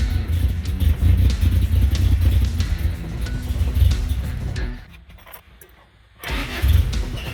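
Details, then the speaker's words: 1977 Toyota Celica GT after Weber 32/36 carburetor rebuild, battery charger connected, first start after pumping: lumpy, uneven running that sags almost to nothing before catching again; still getting fuel but rough idle, won't hold idle. "well it runs it seems to be still getting fuel all right let me do some tinkering and see if i get this thing to stay idling"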